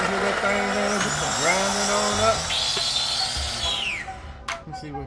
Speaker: let me see something didn't grind down there let me [Music] see might be the ice CH that little ice over there at the bottom that's what it is the ice